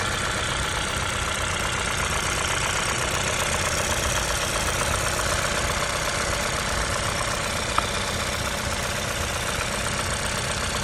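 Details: i20N engine at idle: a light ticking knock about two to three per second, source not yet identified.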